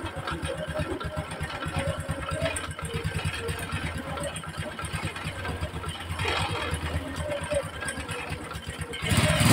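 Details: Honda Supra X 125, previously fitted with a new clutch bell and centrifugal clutch shoes, restarted after teardown, reassembly and an oil refill. It has a steady, even single-cylinder idle at about three beats a second and runs noticeably smoother than before, with no knocks.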